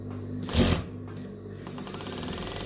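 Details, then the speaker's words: Sewing machine running with a soft, fast, even ticking, not a hard clatter, from the feed dog area: dirty feed dog striking the rotary hook; feed dog to be disassembled and serviced. "Nah, inilah suaranya. Suaranya agak halus, bukan bunyi berderak keras ."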